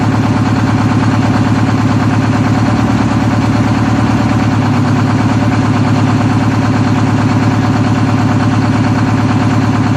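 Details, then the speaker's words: 1963 GM PD4106 bus conversion, rebuilt diesel not run for two weeks, started after adding a second 8D battery: fires within about two turns and settles into a deep, steady, even idle with a firm regular pulse, no knocks or misses; normal idle. "pretty cool blaze right up to live didn't [Applause] I don't think it turn twice"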